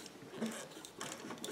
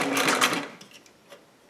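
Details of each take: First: Singer 457 sewing machine turned slowly by hand during lubrication: soft irregular ticking and faint dry squeaks, owner suspects the plastic gears; squeak when hand-turned. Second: Singer 457 sewing machine after lubrication, cleaning and needle timing adjustment: fast even stitching rhythm with smooth light whir, no knocks or catching; speed improved, stitching tighter, running properly.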